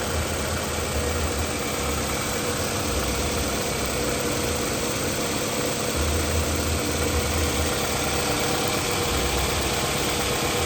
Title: Toyota Camry p0301 by# misfire #automobile #mechanic